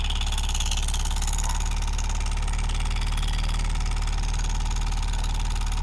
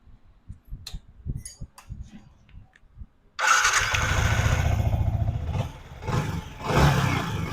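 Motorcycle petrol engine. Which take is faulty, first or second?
first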